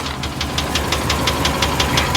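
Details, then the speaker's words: 1998 GMC Savana 2500 5.7L V8 idling, heard from under the van: sharp, even knock about six a second over low rumble, first thought to be a ticking; cause undetermined. "the ticking sound that i thought was a ticking sound is more like a knock maybe which is bad anyway you can hear it from here"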